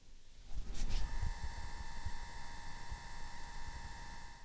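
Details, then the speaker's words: DIY Bluetooth speaker with Fosi Audio PT20A amplifier and 4-inch Axton speakers, in Bluetooth mode after pairing: thin steady electrical whine of stacked tones after a click, amplifier noise through the speakers. "Can you hear this? This kind of electric whining sound. Hopefully it won't bother when you listen music."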